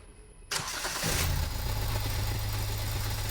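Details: Toyota Etios Liva 1.4 diesel (1364 cc), previously would not restart after running and being switched off; after repair: short crank, catches within a second, settles into steady even idle, no error codes; normal start and idle.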